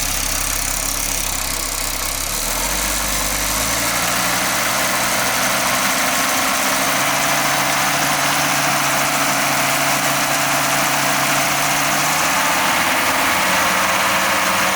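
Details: Audi 20V turbo engine at idle: steady hiss with fast, fairly even chuffing, about four per second, from the exhaust area. The turbo was already removed and overhauled and was not the cause; the source is still undiagnosed.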